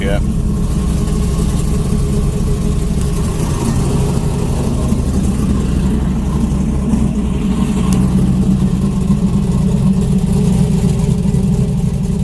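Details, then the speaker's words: Junkyard 5.3 V8 Camaro (TH400, mid-length headers, stage 2 cam, 92mm throttle body) that died during a burnout, idling about a minute after cold start, still cold. Even low rumble, steady idle, earlier noise gone: running smoothly. "all right so it's been island for a minute it came off the cold start now it's not making that thought off the noise doesn't sound too bad it's still pretty cold"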